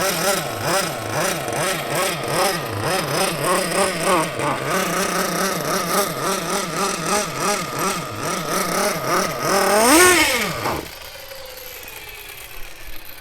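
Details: Mugen MBX6T nitro truggy, small nitro engine running rough: high buzz surging up and down in pitch with an unsteady rhythm, then a rev and cut-off; cause not confirmed.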